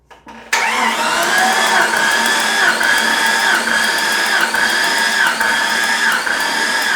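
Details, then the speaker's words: Jeep XJ cranking with spark plugs out for a compression test, cylinders tested six to one; steady starter whine with an even pulse just under once a second, engine turns freely; reading about 125–130 psi on number six. "okay next up we're going to do a compression test but first we need to call in a little helper in order to turn turn over the motor as we uh do that compression test"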